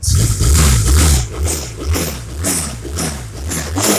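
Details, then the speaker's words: Small engine, after fuel tap turned back on (has slight fuel leak, battery needs charging): revs up and settles into a strong, even beat without misses; running normally. "I gotta charge the battery up on it and now she's running good"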